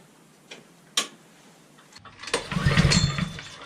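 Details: Brand-new Honda IZY lawn mower (new 2020 engine model), first startup after filling with oil and pre-checks: quiet clicks, then the small engine catches and settles into a steady, even run with no knocks. Normal running.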